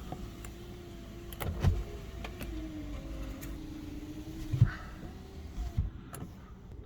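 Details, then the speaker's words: Alfa Romeo 156 2.5 V6 pre-purchase inspection, rear power window: weak, strained motor hum rising and sagging with clicks as the motor labours against a seized window; the passenger rear window doesn't work at all. "yeah that one's seized up it works but it's seized up and the passenger rear one isn't working at all"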